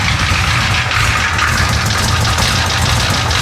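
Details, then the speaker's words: Hurricane-flooded 1966 Chevy Impala 427 V8, first run after a starter replacement: loud, lumpy, uneven idle that sounds noisy and is about to die. Owner feels the engine needs a teardown; cause not confirmed. Rough running engine. "still doesn't sound great no sounds a little noisy she going to die yeah she going to die"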